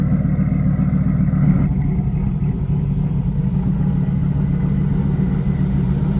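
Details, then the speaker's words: Dodge Ram SRT10 with a Viper V10, under 100,000 miles, auction listing claimed engine and transmission issues. Deep, steady rumble with a smooth even beat, no knocks or misses. Healthy idle. "But does it run though? It runs, and it runs exceptionally well."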